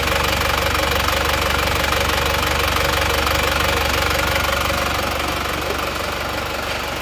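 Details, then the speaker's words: Diesel after an engine rebuild (liners still good, not reversed): even, steady idle clatter with no stray knocks or misses, and exhaust smoke now thin. Normal idle after repair. "suaranya bagus ya teman-teman ya nah ini sudah selesai kita review hasilnya sudah bagus"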